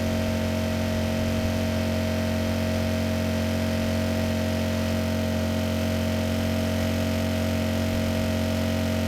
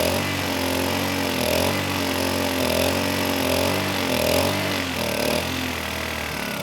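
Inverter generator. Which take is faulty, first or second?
second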